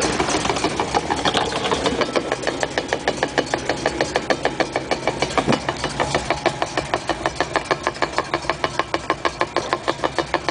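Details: 1956 Chrysler New Yorker on stands, recorded at the trunnion and rear axle sides: a steady, even knock about three times per second over a quiet whir. The drivetrain source is not pinned down.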